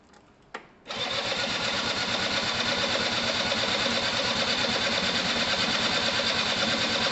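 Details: Gilera DNA 125 scooter after fuel system and carb cleaning, retried after the spark plug, bent at the top, may not have been seated in its boot: even starter whirr, about three turns a second, no firing; cranks but won't start; spark not yet checked.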